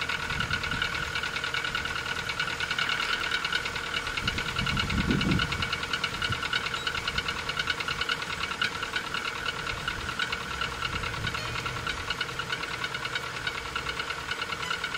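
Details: Rover 25 1.4 K-Series petrol, cold start before servicing: hollow, fairly regular knock about three a second at idle, background squeak is a door or gate; suspected piston slap.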